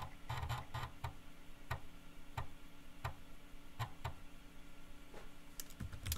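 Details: Teac FD-55GFR 5.25-inch floppy drive on an NEC UF0001 USB controller through a 26-to-34-pin adapter, booting from old floppies: soft irregular ticks and brief chattering bursts as the head steps and reads; normal seek and read.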